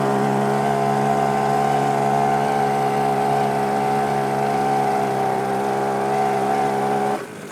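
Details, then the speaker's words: YADAO 3.5 HP two-stroke outboard, brand new, at full throttle on a 32:1 mix (bottle says 35:1), max 5000 rpm; high buzzy drone holding steady pitch, no misses or knocks; running properly. "Throttle Full Throttle actually seems that I mean it seems like everything wants to work"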